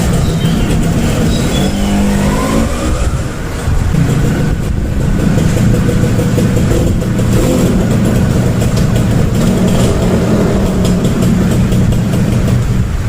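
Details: Small two-stroke Suzuki on a test ride after carburetor repair for hard starting; strong low drone pulling steadily with rising revs, no stumbling or bogging; carburetion sounds clean.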